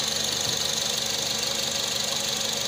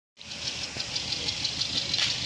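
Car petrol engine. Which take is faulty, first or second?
second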